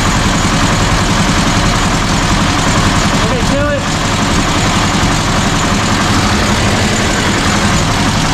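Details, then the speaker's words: 1967 VW Bus with 1500cc engine after new distributor, coil and points, valves, timing and carbs set: steady, even, smooth low idle with no knocks or misses; throttle linkage still needs adjusting. "the runs it's nice and smooth um we just have to get that linkage adjusted"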